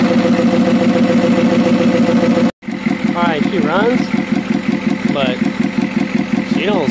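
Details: Ford F350 6.9L IDI diesel after injection pump replacement and bleeding air from the fuel lines, electric fuel pump fitted; even clatter at steady idle with regular firing pulses, though owner suspects a dead cylinder.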